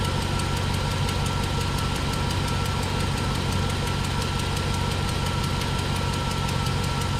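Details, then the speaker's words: 1999–2006 GMT800 V8 truck with a broken front exhaust bolt, throttle snaps, mic by tailpipe: steady rumble with faint quick ticking about three a second; suspected exhaust leak. "probably you got some plenty of a wonderful exhaust leak put you down here by the tailpipe"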